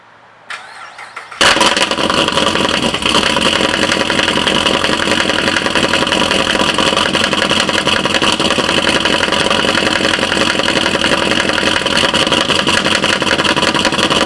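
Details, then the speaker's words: 2012 Chevy Caprice PPV 6.0 LS V8 cold start, no misfire codes, a month after DOD delete, stage 2 cam, new lifters and rockers: fast idle with steady light ticking seeming from driver's side; source unconfirmed. "so it sounds like it is from the driver's side"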